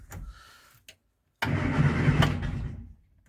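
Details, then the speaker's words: Morris Minor 4-door after fitting new ignition barrel (car had been hot-wired), key test in gear: short steady, unlaboured starter churn about 1.5 seconds; starter turns normally. "Starter turns as well."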